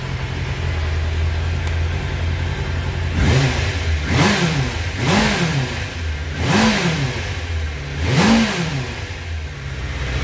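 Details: 1996 Suzuki GSX-R 750 SRAD, carbureted, previously a no-start, started on choke, idle adjuster turned down: it fires and holds a steady tickover, taking a few even throttle blips cleanly and settling back each time. Normal running.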